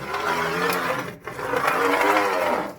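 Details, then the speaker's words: Roller lifter from a Hemi engine, rolled by hand across a sheet of glass: gritty, uneven rumble even though the roller looks shiny and unpitted, as its needle bearing wears. Lifter has been hammering on the cam; worn, failing roller lifter bearing. "That's not the piano making that sound. That roller lifter is in the process of going bad."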